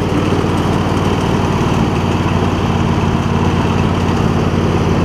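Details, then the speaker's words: MTD Lawn Chief garden tractor with V-twin engine and new voltage regulator: holds an even, steady beat with a faint occasional pop, no longer surging up and down as before; about 90-95% right, running well. "So I got a little bit of pop, but better. I'd say it's probably between 90% and 95%."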